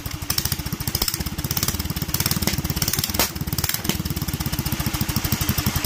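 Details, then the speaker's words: Duromax 18hp small engine, possibly still cold, during an idle-fix attempt: quick even thumping with a midway stumble. It struggles to hold idle, tries to drop to about 700 rpm, then stalls. "Still died, although it tried to drop to 700 for some reason."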